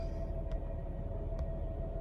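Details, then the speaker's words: 2003 Nissan Altima 3.5 at idle with battery and brake lights on: steady mid-pitched whine over an even engine rumble; failing alternator, whine sometimes goes away when given gas or on the highway. "That means your alternator is going out, and you also hear a winding sound. And sometimes when you give it gas, it'll go away."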